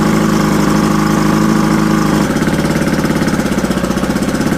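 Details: Mercury Thunderbolt 500 50 HP outboard on first run after complete rebuild (reeds, bearings, rings, carburetor, fuel pump, distributor; compression 123-124 psi all cylinders): steady drone dropping into even pulsing idle around two beats a second; healthy two-stroke running cleanly.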